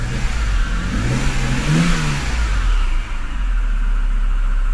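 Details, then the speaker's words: Flooded Copart BMW E60 528xi, revved and released: engine returns smoothly to a steady idle without hunting, much better than before when it jumped around; no check engine light; a loud tensioner, pulley or water pump noise is still suspected. Normal rev and return to idle. "okay now it even gets back to idle much better than previously remember when they read it and release the guest it was kind of jumping all around"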